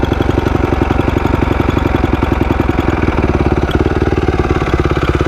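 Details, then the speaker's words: 2004 250R dirt bike after valve work: steady, even single-cylinder idle that sits quick and busy, and the owner thinks the idle is set too high; it smokes a little, possibly needs a top-end rebuild, and has a small oil leak and little power. "Smokes a little bit. It probably does need a top end rebuild, but it's not going to be the end of the world. Idle does seem kind of high to me."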